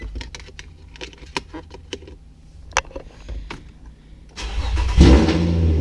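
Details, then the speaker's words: Infiniti G35 after fitting a 370A Autotech alternator with a new, tighter belt; the engine fires and runs smoothly with no belt squeal, now charging at 14.9V on a cold start (check engine light still on). Normal running. "That sounds a lot better. And we're at 14.9 cold start. So now it's charging."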